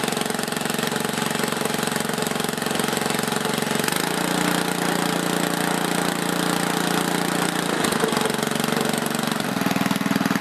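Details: Older 7HP Tecumseh snowblower single-cylinder engine after carburettor rebuild, fresh gas, primed twice, choke on: fires steadily about three beats a second and settles at a new speed without missing; runs normally.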